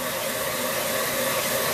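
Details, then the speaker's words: New belt grinder with a speed-control box running unloaded at 500 RPM tick over, pulling 2.8 amps, belt at 785 feet per minute; smooth, even airy whir with a faint steady tone and no rubbing or knocking. "That's the amps it's pulling, 2.8 amps, because it's on tick over and there's no pressure on it."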